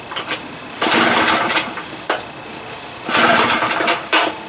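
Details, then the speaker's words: Two-stroke outboard, set to the start position with choke and fuel on: two long rattling pull-start bursts with quiet gaps and no firing. The engine cranks but won't start. "so that's what happens pulling and pulling and pulling so what i started doing was this kind of i don't know what it does but it seemed to be working when i did that"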